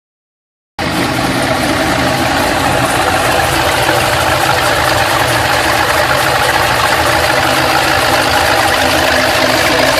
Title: Ticking sound after head/cam/intake swap ls2 Gto